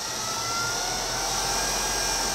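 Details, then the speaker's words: Craigslist treadmill opened up, DC drive motor started by turning speed knob up slightly from fully counterclockwise, after usual start delay: smooth steady high-pitched whine, no grinding or ticking; normal running at low speed. "if we crank her up a little bit let's see if that motor will start there goes there's always a start delay"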